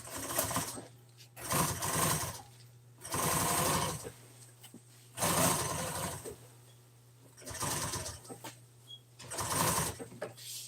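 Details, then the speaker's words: Sewing machine stitching a single-stitch seam, no top stitch, in gray thread on burgundy seat-cover pieces for a 1997 Ford F350 seat: short, quick, even stitching bursts with a quiet motor hum between runs. Normal. "It's just got a stitch. So, it's all it is is just sewed together one time."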